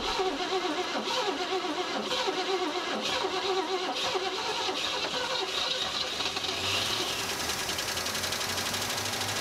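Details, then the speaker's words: 1956 Cadillac Eldorado Seville V8, off the road about 30 years, running for the first time on gravity-fed fuel after starting spray: steady, busy run with no obvious misses or knock after the first few seconds; running normally. "well it runs huh yeah i don't know how both incorporated all right well we got it running for the first time"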